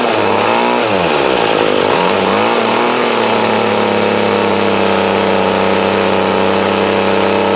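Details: 2008 Troy Bilt TB20CS 31cc two-stroke trimmer after carb adjustment with the D-size tool, restarted; after a few revs settles to a high steady buzz without stumbling, thunder audible: running good, still needs slight tweaking.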